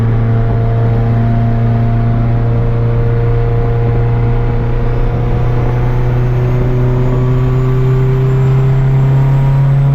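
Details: Turbo Honda Civic with fresh built D16 single cam on road test after ignition fixes: smooth, steadily rising tone under load, pulling cleanly; no longer cutting out at any rpm, though logged rpm still scattered.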